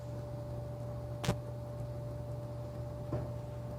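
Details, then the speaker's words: Centroid SC300P olfactometer during the clean-dilution-lines purge (step 4, 10-second duration): steady low pump hum with a couple of sharp, irregular valve clicks about two seconds apart; normal purge cycle. "now you may hear sounds from the device and that the device is currently cleaning the air supply lines with the specific algorithm in place"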